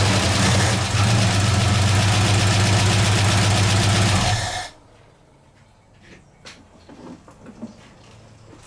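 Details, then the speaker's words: 1969 AMC Javelin 290 V8 with fuel leak and old fuel, after tightening three loose spark plugs and reseating a plug boot: steady even idle with no stumble or miss, then shuts off; previous miss gone. "To me, that sounds better already. I know you guys aren't in the car, but I don't feel that steady jerk, jerk, jerk, jerk, jerk, jerk, jerk, jerk like there's a miss."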